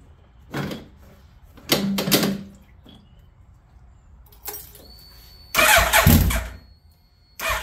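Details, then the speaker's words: 2003 Suzuki Hayabusa, first start after repair (fresh oil, filter, coolant hoses): short cranking bursts catch briefly then die, repeated several times; fires but won't keep running, owner suspects tip-over sensor. "it when it starts and stops like that that's usually the tip over sensor maybe I need to just whack it and reset"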